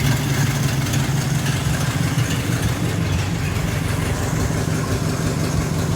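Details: 1942-47 Ford F5 one-ton dump truck with flathead 8BA V8, first start in years after freeing stuck valves; carburetor primed by hand, accelerator pump dead: idles on its own with a low, slightly uneven burble, no knocking or ticking; carburetor still needs rebuilding.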